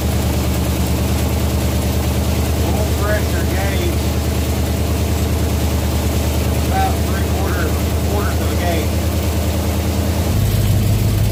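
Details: 1967 Chevelle V8 on its first start since 1977 with original wiring, after cleaning a bad connection inside the ignition switch: deep, steady burble at idle with an even beat and no misses or knocks; healthy idle.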